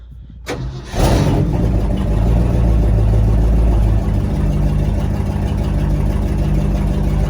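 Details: 1968 Ford F-350 with 4-speed MP435 manual, cold start after sitting a while, push-button start on a new wiring harness, a couple of pedal pumps: cranks and catches, then a rough lumpy idle with a faint ticking puff from a leaking exhaust manifold gasket needing replacement.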